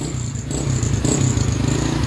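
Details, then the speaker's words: Honda Wave 100 after the carburetor was cleaned: the small single-cylinder engine runs with a smooth, even beat that builds slightly, with no misfire or popping, running normally. "Guys ayos na natin ng kalburador. Ayos na. Pwede na raw siya bumamba uli."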